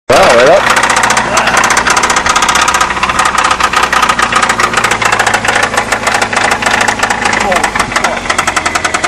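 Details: 1994 Saturn SC2 1.9L at idle: loud, sharp, rapid knocking that never lets up over the idle; serious internal engine knock.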